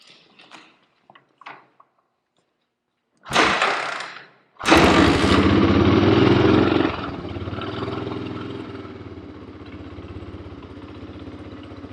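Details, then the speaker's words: 1985 Honda ATC250ES Big Red three-wheeler, single-cylinder, just after an oil change with oil overfilled, started without the kickstarter: catches after a couple of pulls, even steady idle with no timing chain rattle; motor sounds good. "I don't hear too much engine, like time change noise. Motor sounds good."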